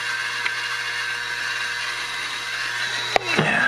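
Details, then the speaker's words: GAF Anscovision 588 Super 8 projector in rewind: steady whirring hum with high whine running slow, then a click; motor starts slow and speeds up after a minute or two, owner suspects dry front motor bearing. "now here how slow that is it's going to speed up it'll speed up it'll take a while it's running slow right now"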